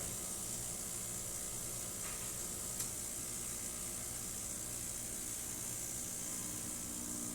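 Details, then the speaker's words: Fiorenzato Volante espresso machine after descaling steam boiler and heat exchanger, backflush, new shower screen and gasket: pump kicks on with a steady even hum while brewing a test shot; normal pump operation. "Working really well. You're going to hear the pump kick on."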